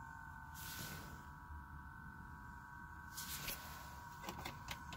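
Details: Truck with ignition off and a dead battery: a faint steady high electrical whine with chirps comes from the dash vent. The noise stops with the key on, and the truck then won't start. Whine from dash vent with ignition off.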